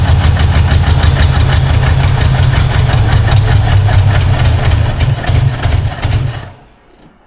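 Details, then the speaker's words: Long-abandoned 1952 Ford Crestline flathead, first start after years sitting, possible vacuum leak: lumpy, uneven chugging at about three beats a second, very low loping idle, then dies; sounds like dead cylinders, misfire suspected, compression not tested. "really sounds like some dead cylinders"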